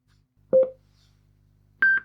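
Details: Cambridge Audio GO V2 Bluetooth speaker, bought faulty with no power, after repair: two short two-part chimes, second higher, in a quiet room when the phone connects; normal pairing-complete prompt.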